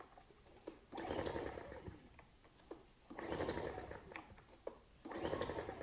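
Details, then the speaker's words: Ryobi RIG1000 inverter generator, on spray starting fluid, choke on and off: three pull-start bursts two seconds apart, steady compression, never catching though it sounded like it wanted to go; cranks but won't start. "compression oh oh sounded like it wanted to go then promising"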